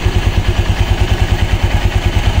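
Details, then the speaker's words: Honda Click 125 V3 scooter, idle raised by adjustment: heavy even low thumping about eight beats a second with rattly clatter on top from the CVT pulley side; raising idle makes the pulleys noisy, cause not yet found. "Yun nga lang Kasi pag tinasa yung idle RPM ninyo sigurado yung mga panggilid ninyo iingay yan iingay"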